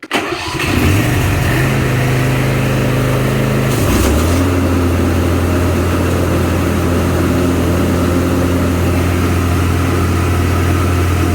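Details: Craftsman Z530 zero-turn after deck repair: engine starts and revs, blades engage with smooth steady drone, no squeal, grinding or rattle; normal mower deck running.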